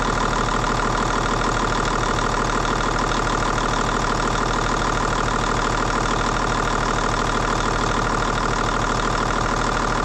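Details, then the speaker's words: N14 Cummins diesel at idle after cam bearing and follower job and injector replacement: steady light ticking around three per second in time with the engine; suspected loose intake valve lash. "got the injector in it a little bit of a ticking noise I'm not sure I might double check make sure my valve lashes right"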